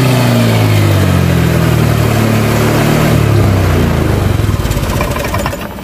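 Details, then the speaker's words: Honda Vario 125 scooter, cold engine: holds a low steady note, then stumbles into uneven choppy pulses and sags under throttle instead of picking up; stalls and won't climb hills when cold, normal when hot; fuel pressure good. "Ini katanya khusus dingin aja seperti ini. Kalau dingin dia mati-matian, hidupnya mati-matian, terus mau nanjak ke atas tanjakan itu mendorong. Tapi kalau sudah panas katanya normal."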